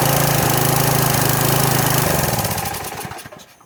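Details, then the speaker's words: Troy-Bilt pressure washer small engine, first start after about 4 years sitting, only fresh gas added: fires with a quick steady beat, then sputters, slows and dies within seconds. Stalling because the choke was knocked off. "And then for a second, the choke had just got knocked off. Like a top. I just knocked the choke off, and excuse me, I forgot to check it before I tried to start it."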